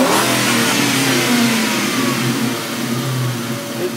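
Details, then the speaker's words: 1998 Mustang GT V8 after replacing IAC valve to cure idle surge: loud blip, pitch falls smoothly back to steady idle without hanging at 3,000 rpm. Normal return to idle after a rev. "that coming down faster? It doesn't stall at 3,000. It automatically comes down."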